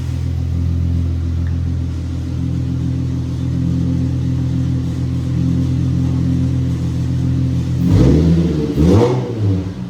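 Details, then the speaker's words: Nissan VQ35DE V6 in a G35 sedan, first start after engine and transmission reinstall with new mounts and stock exhaust manifolds: deep steady idle and two clean throttle blips; sounds healthy despite brief belt squeal at first crank. "This sounds good. I like it. I like it. So, car starts."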